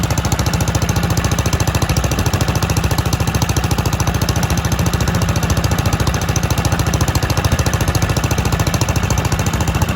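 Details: Kohler K91 single-cylinder petrol engine, first start in 6 years after rigging a new exhaust and freeing a stuck carburetor float: steady, even thumping at about 3.5 beats a second with no misses or knocks. Normal running.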